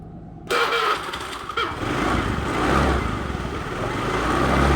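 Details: Honda Beat injection (Injexi) scooter with rough starter: engine catches after cranking, then runs ragged, stumbling (brebet) on initial throttle; hard start with rough running, scanner shows no stored fault codes.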